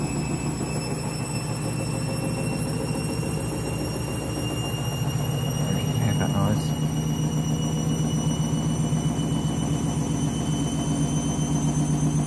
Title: Candy Washing Machine - New Clothes - final spin ramping up strange noise